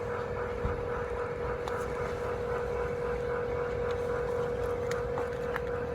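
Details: Fujitsu room air conditioner outdoor unit making abnormal noise: steady mid-pitched drone with faint irregular ticks; cause unclear.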